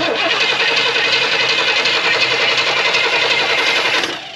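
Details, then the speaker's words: 1978 Pontiac Formula Firebird, off the road for 21 years, first start attempt without alternator; rapid ragged cranking about three to four turns a second with scattered sputters, won't fire because the choke is frozen. "so let's see if this thing fires off real quick exciting always just you ready oh yeah go ahead [Applause] choke is frozen go ahead that choke is Frozen"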